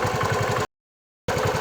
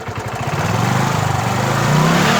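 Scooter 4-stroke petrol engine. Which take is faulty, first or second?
first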